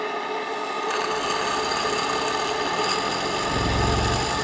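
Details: JLS 13-2 live steam engine on bench test at about 1 bar working pressure: even, steady chuffing of about four beats a second with no knocking, clatter or leaks; runs smoothly and healthy.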